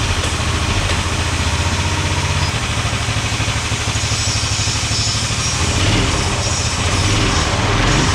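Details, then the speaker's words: 18 hp go-kart engine after replacing a spring with heavy wire: small engine buzzes at a raised, uneven speed and never drops to idle because the throttle return spring popped off, cause unclear, likely not fitted securely. "Okay, the spring I had right here to pull it back to return to idle popped off. I'm not sure how."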